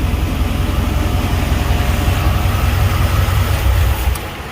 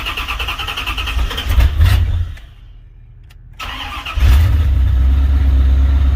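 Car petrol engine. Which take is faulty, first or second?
second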